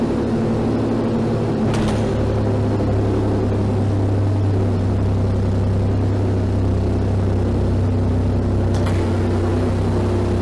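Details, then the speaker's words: Rusty 6-cylinder gasoline manual car whose exhaust came detached about two months ago. It idles with a loud, raw, even rumble and a deep, blatty, unmuffled note. It used to be quiet and now backfires, an exhaust leak. "The exhaust is detached somewhere. That happened about 2 months ago maybe. So now this car is exceedingly loud. The engine runs loud."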